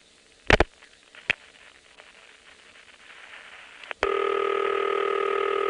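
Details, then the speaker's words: Senderized XY step exchange, Prince William County VA, 1970s, call to a No. 1 crossbar office in Falls Church: sharp relay clicks as the sender dials 3, waits for trunk flash, then a steady multi-tone MF outpulsing buzz; normal. "it will wait until the entire phone number is dialed and then it'll dial a three wait for the flash on the trunk and MF the number"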